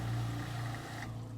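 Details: Household water pump motor hum winding down and stopping about a second after the outlet closes, after re-bleeding air that entered when the tank ran dry; pump now cuts off normally.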